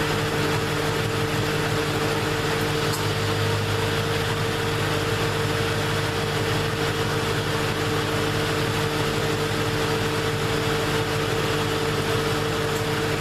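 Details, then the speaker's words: 2001 Ford Mustang Bullitt 4.6 2V V8 idling with A/C on high during refrigerant recharge for warm vent air and rapid compressor cycling: even idle with steady hum, constant pitch, no rough cycling; normal compressor operation, low charge believed to be the cause. "Now as we're doing this, you can actually hear that the compressor's not coming on that much anymore. It's cycling the way it should, and it's definitely got longer intervals that the compressor is on, the clutch is on."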